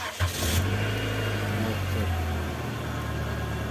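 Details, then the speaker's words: Nissan Sentra B14 after replacing fuel pump motor and fuel filter, pump heard priming first: short crank, catches quickly into steady even idle, no misses or rattles, no leaks — starts and runs healthy. "Alhamdulillah. Engine dah running."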